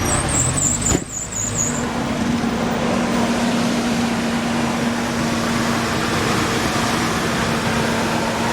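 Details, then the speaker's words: 2004 Lincoln Navigator V8 idling after power steering pump and hose replacement: steady even hum, no belt squeal (previously squealed badly), belt tracking properly; normal idle. "Okay, I don't hear anything crazy. No crazy sounds. That's good."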